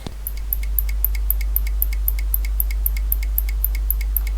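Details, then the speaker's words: Wren Executive computer switch-mode power supply on mains with no load connected, microphone moved close: sharp, even ticks about twice a second over a low hum as it keeps restarting; this sounds like a fault but is normal unloaded. "if you try and turn these machines off with no load on them you'll just hear it ticking it will sound like it's fault"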